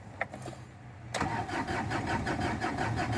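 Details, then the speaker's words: 2007 Ford Ranger that won't start, dash lights normal at key-on: starter cranks steadily at about three turns a second but the engine never fires; scan shows code P0340, camshaft position sensor, to be replaced. "ครับอาการบิดสตาร์ทไม่ติดประมาณนี้ครับผม"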